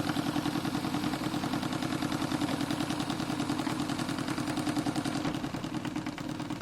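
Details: Renovated Stuart D10 steam engine for an RC live steamboat, with new Teflon cup pistons, run through its speeds: even chuffing at about three and a half beats a second, changing smoothly, no knocks; normal running.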